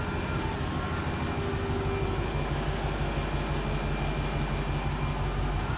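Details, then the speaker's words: Mercedes ML55 AMG (W163) V8 at idle just after the secondary cats were removed and replaced by a temporary clamped flex-pipe setup: rough, deep rumble with an uneven puffing chuff; exhaust leak, probably at a crimped front joint. "We got some leaks. We definitely got some leaks."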